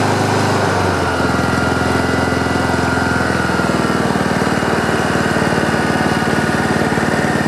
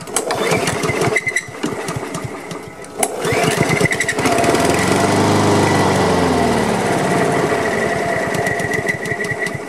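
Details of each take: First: Free Honda HRM215 lawn mower after carburetor cleaning, pull-rope repair and fuel line clearing: small engine catches after a second and settles into steady even running. Some smoke afterward, muffler squeal at shutdown, rear-wheel drive still won't engage. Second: Honda HRM215 lawn mower, choked and primed after sitting bone dry, fresh gas and freshly cleaned carburetor: runs on the prime, surges unevenly for several seconds, then fades and dies; fuel starvation, fuel lines and on/off valve to be checked (fuel line was clogged).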